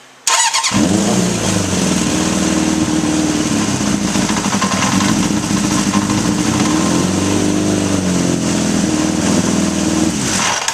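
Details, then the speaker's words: 1981 Honda CB750 K1 that bogs and stutters: idle revs up to a raised, busy, steady idle when the carburetor intake boot is sprayed, revealing a vacuum leak at the boots, with leaks at the throttle shafts too. "right right off the bat I sprayed right here and you notice that it revved up any idle change whether it's lower or higher indicates a vacuum leak"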